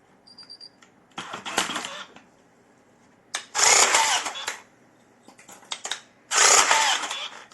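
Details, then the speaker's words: Electric rebar tying gun tested after repair with an ordinary spool from a general batch: three short bursts of whirring motor and rattling wire feed, each stopping cleanly; spool stops properly, wire doesn't unravel, normal tying cycle. "Ну, катушка останавливается нормально. Проволока не разматывается."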